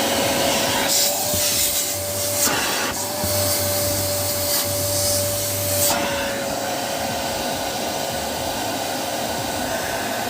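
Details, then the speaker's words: Samsung SC18M2150SG vacuum cleaner after repair of no-power fault, steady motor hum with even airy rush and constant mid-pitch tone; HEPA filter checked, airflow even across surface, so filter still usable and running normally. "यहाँ, हम देखते हैं कि यह कहाँ से बह रहा है। यह पूरी सतह पर समान रूप से बह रहा है, इसलिए यह अभी भी काम करेगा।"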